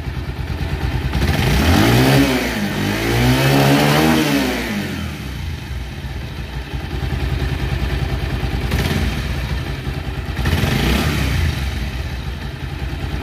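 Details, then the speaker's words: Second-hand old Bajaj Pulsar motorcycle that changed sound and rattled heavily when hot; after rebuild with balancer and valves reused, valves adjusted, top and clutch covers refitted and fresh oil; revs up twice, settles to clean steady idle without knocking. "তো ভিউয়ার্স আলহামদুলিল্লাহ আমাদের বাইকটা স্টার্ট হয়ে গেছে, আপনারা সাউন্ডটা শুনুন।"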